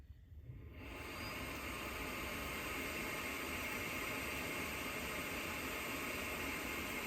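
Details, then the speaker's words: CPAP plugged into a newly installed 12 V cigarette-lighter outlet in an Embassy Dolphin van: blower hiss comes up within a second and stays steady without cutting out as it did before on the USB adapter; normal running. "It's on, and unlike before, it is staying on. Mission accomplished."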